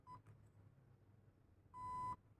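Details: Zius BK1S/BK2S airsoft blaster with T238 electronic trigger: a short high beep, then a longer steady beep about 1.5 seconds later, confirming the jam reset. Owner notes the jam can happen when the battery is not properly charged.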